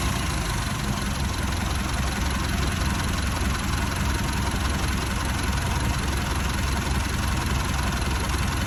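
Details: Mitsubishi 4D56 diesel with hard starting: rough idle with heavy, uneven low-end knocking under two beats a second. The diesel knock's cause is not confirmed.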